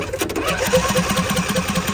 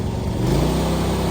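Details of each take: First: Used John Deere D130 riding mower, key start fails, so starter jumped directly: steady even cranking at about 2.5 beats per second with a hit of carb cleaner, engine turns over but never catches; cranks but will not start. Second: John Deere D130 riding mower, 238 hours, restored and without a battery yet: the engine throttles up cleanly to a steady higher pitch with no smoke and no surging, a normal throttle-up.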